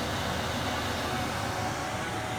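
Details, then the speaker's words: 2023 RAM Promaster with Butler Technik gasoline Webasto 2000 STC 12V 2kW heater, first start after install: fan rushes up to full speed with no fuel pump ticking heard; the pump isn't running, a blinking fault code follows and it won't light. "Okay, for the first time I turned it on. The fan's making a really little bit of noise here. I don't hear the fuel pump yet."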